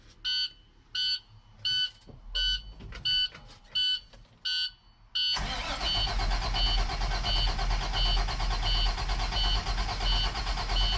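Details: 2008 International MaxxForce DT diesel first start after cylinder head replacement; regular chimes, then it catches at once and settles to a steady even idle with no knocks or misfires.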